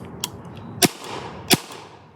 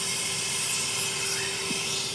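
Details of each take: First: 2003 Spyder Xtra paintball marker from a yard sale, aired up and test-fired outdoors with hopper. Three sharp, clean pops about two-thirds of a second apart, no hiss after; the marker cycles properly. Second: 2003 Spyder Xtra paintball marker from a yard sale, aired up outdoors after test firing. A steady, sharp hiss of escaping air runs on, then cuts off near the end; air leaking from an unknown spot.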